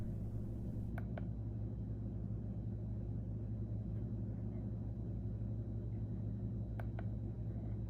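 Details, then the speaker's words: Fanttik X8 APEX battery-powered air compressor/tire inflator demonstrating one of its preset modes: steady low motor hum at constant pitch, a couple of faint clicks, no surging; running normally. "I'm going to show you what each mode sounds like really quick when the air compressor is running. All you have to do is put it to whatever setting you want and press the middle button to get it running."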